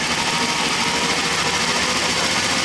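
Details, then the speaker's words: Triumph T100R original points ignition on an inverter-driven bench rig at camshaft speed, equivalent to 2,000 engine rpm: steady high even whir; healthy spark, no arcing at the points, condenser good. "so that is a very very healthy spot and also there's no arcing at the uh points so the condenser Etc is good"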